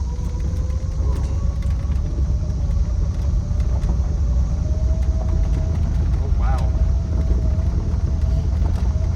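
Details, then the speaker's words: 1971 Plymouth Road Runner, first drive after sitting 35 years since 1989: whine climbing in pitch with road speed over engine rumble; transmission noisy, driver finds it concerning. "transmission's noisy yeah it's got a little"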